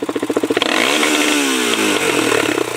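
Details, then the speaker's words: Honda TRX400EX quad on a test ride after spring prep: a thin whine rising and falling with speed over the engine buzz; owner suspects something stuck in a sprocket or transmission whine. "okay shut her off for a while do you hear that whining when you're driving it a little bit yeah a little hot no it's either something stuck in a sprocket or it could be uh transmission wine"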